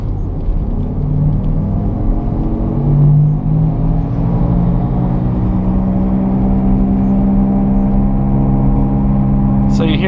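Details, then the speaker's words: Car driving at about 40 mph: steady low droning growl under road noise, louder the faster it goes, from a bad right front wheel bearing. "noise that is the sound of a bad wheel bearing the faster we go the louder it gets"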